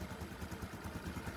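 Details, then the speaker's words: Engine after a redo repair replacing the faulty connecting rod and crank bearings, muffler covered to listen: even, steady low putter, regular firing, no knocking or rattle; quiet now. Normal idle after repair. "tahimik na siya. Ang kagandahan dito is napalitan natin yung sira."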